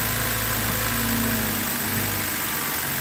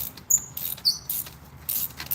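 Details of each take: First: BMW X3 3.0L six-cylinder after a spark plug change, after a rough start: steady, even, smooth idle with no misses; engine has smoothed out, though an intermittent coil is still suspected. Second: BMW X3 3.0 L inline-six spark plug removal: short sharp high squeaks in uneven bursts as the plug turns out, suggesting the plug is gone; rear three plug wells (cylinders 3–6) were full of oil.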